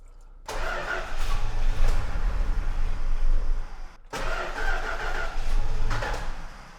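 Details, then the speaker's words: Old carbureted car cranking after gas poured down the carb: two bursts that catch briefly and die; fuel starvation, as the slow mechanical pump hasn't yet pulled fuel from the tank to the filter, though firing shows spark is present. "The challenge is we're trying to pull fuel from the tank and it has a little mechanical pump which is pretty slow. Still no gas at the filter yet. So, I'm trying to get that to wake up."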